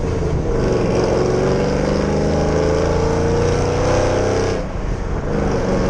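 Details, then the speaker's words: 2010 Camaro SS (BTR Stage 4 cam, long-tube headers, Borla axle-backs, 3.91 gears) on test drive after replacing blown header gasket and spark plugs: deep V8 pulls smoothly, pitch rising and falling with throttle, loud exhaust-leak ticking and misfire gone. "wow oh my god it drives so much better jesus christ and they don't have that loud ticking noise"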